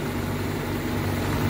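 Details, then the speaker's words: 1997 Daihatsu Feroza G2 used old car: steady, even low idle rumble with no knocks, ticks or rattles, engine sounding smooth and healthy. "Kalau suaranya lancar, kreng kayak gini, ini kan suaranya lancar. Enggak ada suara aneh-aneh."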